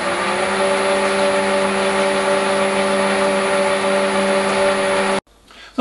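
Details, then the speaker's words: Lathe converted to a 3-phase motor on a VFD, about 33 Hz, with Arduino RPM display; steady constant hum, clean even whine at fixed pitch, no knocks or grinding, until it stops. Loud only from mic auto-level; runs healthy. "The lathe sounds very loud on video. This is not really the case. It's an effect of the microphone being auto level setting."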